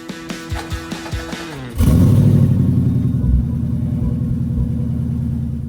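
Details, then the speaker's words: C5 Corvette V8 during a short drive before spark plug replacement: uneven stumbling pulse that never smooths out and the motor shaking badly, possibly a misfire; also a possible exhaust leak tick toward the rear. "it just sounds more ly than usual just not good and the motor's shaking pretty bad I really hope it's just a misfire but this seems worse than that"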